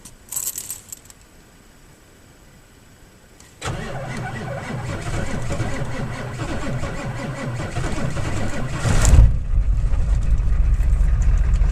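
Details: 7.3 IDI diesel, intermittent slow crank at about minus one degree, batteries new: quiet, then a few seconds of sluggish, labouring cranking at about three and a half turns per second before catching; positive battery cable suspected and replaced.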